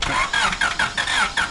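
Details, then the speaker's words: 1996 Honda Civic coupe sitting untouched 8 years, key cycled to prime the fuel pump (pump not clearly heard): the starter churns in quick pulses, about four a second, but it never catches. Crank no start; fuel delivery is suspected, not confirmed. "All right. So we got some turnage. So let's prime it a couple more times."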